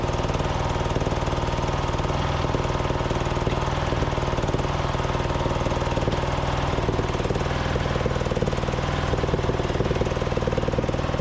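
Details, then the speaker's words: Craftsman DYT4000 riding mower, Briggs & Stratton single-cylinder, cold start with new fuel pump and deck belt, electric PTO deck engaging: steady thump sags and stumbles nearly stalling; owner suspects carb issues or deck/belt freeing up. "yeah you guys heard it try to stall out there i think it was just kind of getting everything uh in place um freeing up the spindles getting the belt properly and engaged"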